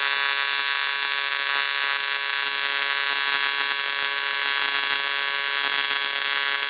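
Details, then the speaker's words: ARCCAPTAIN 200P AC/DC TIG in AC after raising to 140 Hz, balance 20%, higher amperage: steady even high buzz without crackling bursts, settled arc, maybe jumping slightly; adjustment definitely helps, steady AC arc. "Definitely helps. Yeah, that's not bad at all."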